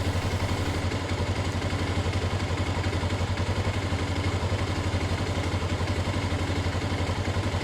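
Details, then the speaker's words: CG/CB-type motorcycle carburetor, low-speed air screw set to one and a half turns for correct idle stabilization: even, steady single-cylinder putter at about four beats a second, no hunting or misses; stable idle. "y bueno encontramos la estabilización correcta en una vuelta y media"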